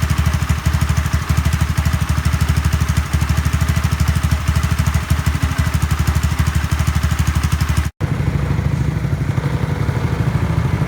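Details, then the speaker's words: Honda Zoomer-X scooter after fuel filter and fuel pump motor replacement for hard starting and stalling: steady regular idle beat about three pulses a second, no stumbling or dying out; normal idle. "สิ่งที่เราทำกับรถคันนี้คือเราเปลี่ยน2อย่างนะครับเพื่อนๆเปลี่ยนกรองน้ำมันเชื้อเพลิงกรองน้ำมันเบนซินนี่แหละครับแล้วก็เปลี่ยนเจ้าตัวมอเตอร์ปั๊มเพียงเท่านี้ก็เสร็จสิ้นกระบวนการแก้ไขปัญหาสตาร์ทติดยากสตาร์ทติดแล้วชอบดับเองนะครับ"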